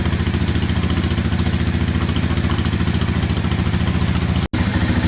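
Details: 1998 Honda FourTrax 300 single-cylinder quad on a cold start after fitting a new battery to cure starting trouble: steady, even idle with no misses or knocks; charging system reads about 14 volts.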